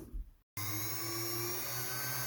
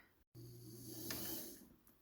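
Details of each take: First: 1977 Kenmore 158.19412 sewing machine after oiling: motor hum with steady hissing scrape rising and falling with speed; drive belt set too far right, rubbing the plastic side cover; fix is loosening the set screw to realign. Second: 1977 Kenmore 158.19412 sewing machine after the motor was shimmied over and the belt realigned so the belt no longer rubs the plastic side cover: a soft, steady motor hum that rises and fades smoothly with no scraping.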